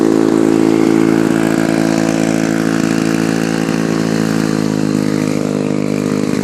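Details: Lawn-Boy F Series two-stroke mower, warm: loud raspy drone at steady speed with a harsh unmuffled bark; muffler has a hole and leaks exhaust.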